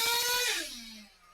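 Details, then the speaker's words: ProTek-RC .21 Samurai RM nitro engine on a dyno winds down from a screaming run after a clean-out and settles to a fast idle still set a little too high. "Still hear the idle's a little high."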